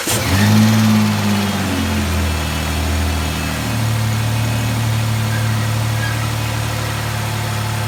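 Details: 2008 Dodge Charger 3.5 L after valve cover replacement without removing intake: engine catches with a brief flare, then settles into a steady even idle within seconds, no obvious vacuum hiss or tick.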